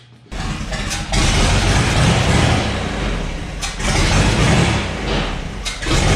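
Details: 1962 GMC 2-ton truck 305 V6, about 50 years old, salvaged from scrapping: catches after a short crank, revs cleanly up and down, settles to an even run; runs, though likely needs starter, accelerator pump, carb rebuild, plugs and wires.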